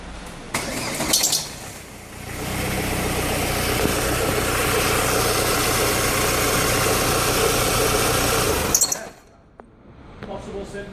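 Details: Ford Focus petrol engine at idle and shutdown, after alternator belt and tensioner were replaced: odd rhythmic pulsing about three beats a second, then it shuts off; cause unidentified.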